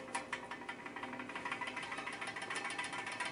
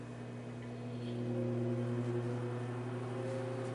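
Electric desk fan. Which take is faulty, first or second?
first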